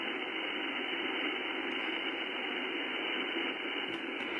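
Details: HF receiver on an empty 20-meter frequency with earthing removed while the antenna is rotated: steady, even hiss with no signal, a constant raised background noise around S5–S7 from an unknown source.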